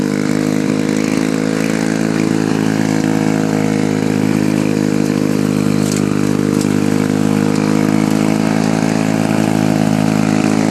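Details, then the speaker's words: Lawn-Boy F Series two-stroke mower, warm start after running minutes earlier: steady, very loud buzzing run with harsh raspy bark from exhaust leaking through a hole in the muffler, which the owner needs to fix. "The muffler has a hole in it, which makes it extremely loud. But so yeah, that's a problem."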